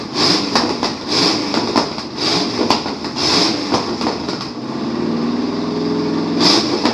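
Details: 1953 Chevrolet Bel Air rat rod with a small-block Chevy V8 runs for the first time in 30-something years, on gas poured in, after new plug wires. It fires raggedly in irregular bursts, stumbling and catching, then settles briefly.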